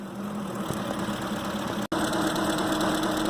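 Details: 2005 Ford Expedition 5.4 L V8 (engine from a 2008) idling unevenly with a stumbling beat after injectors and coils were replaced; cylinders 7 and 8 not firing, driver circuit being checked.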